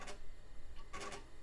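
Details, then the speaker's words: Faint, coarse scratchy ticking in short clusters as the floppy drive heads seek in a Compaq DeskPro 2000 booting Windows 98, before the floppy drive was repaired; the drive sounds rough. "that floppy Drive sounds rough"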